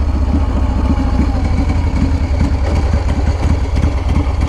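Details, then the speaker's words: 2016 custom bike with a Harley-Davidson S&S shovelhead engine, completely redone, 1,100 miles: lumpy V-twin idle with a dry, slicing chatter about three a second; that is the normal dry clutch, which sounds grunty when shifting. "hear that slicing? That's the dry clutch. It's got that nice grunty sound when you shift."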